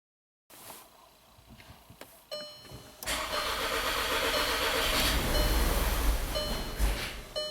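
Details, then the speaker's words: 2012 VW Tiguan 2.0 TSI GDI 4WD, 117,000 miles, winter, code P0087: fuel pump heard running, starter cranks, engine catches rough then sags and stalls; crank-start-stall with fuel pressure only 10 bar versus 48 specified. "It tries. Ooh. Let's try this again. So customer's right, it's a crank start stall."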